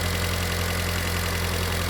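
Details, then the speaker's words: Mitsubishi Lancer 1.6 petrol/LPG after repair of injector plug, coil and module, warm engine near operating temperature, where surging and stalling once occurred: steady even low hum with no stumbles or misses, idling smoothly and correctly. "kontrolka pewnie jest ale wskaźnika nie ma pracuje bardzo równo bardzo poprawnie"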